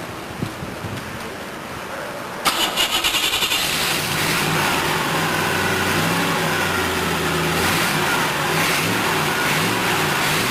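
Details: Rebuilt C2/C3 Corvette chassis V8, cooled by hose water pumped through intake manifold and water pump: quiet, then cranks and catches at once, steady even burble, no misses or knocks; healthy.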